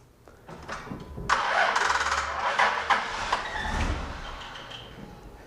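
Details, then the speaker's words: Starter circuit test with VAT-40 on a car with a low battery (customer complaint likened to a machine gun sound when starting): sluggish, labored, uneven cranking as voltage drops to about 6 V and starter draws only ~100 A, engine barely catches; weak battery. "It's amazing the vehicle actually even starts at all. But you notice that our low voltage that we had to begin with went even lower. Went down to around 6 volts. Amazing the starter actually even cranked the engine at all."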